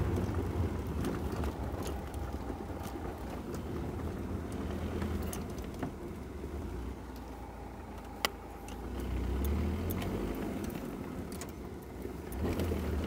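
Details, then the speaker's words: Ford Ranger 3.0 Power Stroke, 175,000 km, driven after repair with the mic near the gearbox. Steady low road rumble with no whine or growl. The loud noise was from the transfer case, not the gearbox, and is now gone. "Vocês viram quanto que ficou, parou o barulho? Parecia que era no câmbio e era na caixa de transferência."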